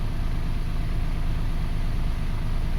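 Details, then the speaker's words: 2005 Toyota Passo after the bad ignition coil ground causing its no-start was fixed; steady, even low idle, no misses, knocks or stumbles, all cylinders firing cleanly; normal idle. "we fixed that ground, we fixed this engine."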